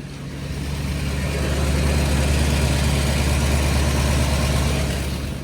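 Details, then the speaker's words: V8-swapped Mercedes 240D with six-speed, idling after the fuel feed and return lines were replaced with -8 AN hose: deep, steady, even V8 idle with no misses. No fuel smell; owner suspects a missing throttle position sensor signal. "well, I don't smell any fuel so that's a good sign I really have to plug the laptop back into this I don't think it's getting a throttle position sensor signal. sure sounds good! so far so good."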